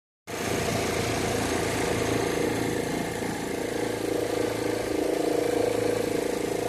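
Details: Chevrolet Zafira idling with the air conditioning on: faint steady mid-pitched tone over a loose rhythmic beat; noise at the alternator belt, cause unconfirmed.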